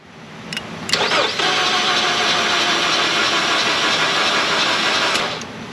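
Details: 2015 Jeep Cherokee 2.4 towed in, crank no start; starter spins engine unusually fast and evenly with no compression pulses and no firing, like no compression on any cylinder; fast cranking, no start.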